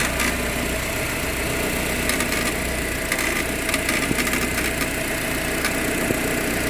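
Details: Proton Exora CPS at steady idle: light, uneven metallic rattle ticking over the top of the engine note; rattle at idle, source not pinned down.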